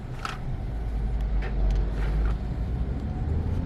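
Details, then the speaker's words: 2012 Peugeot 308 1.6 test drive after front shocks, mounts and stabilizer link replaced: steady low road rumble, no clunks or knocks from the front; the former right-side clunk is gone. "Ama şu an gram ses yok Normalde sağ tarafta blok ses vardı"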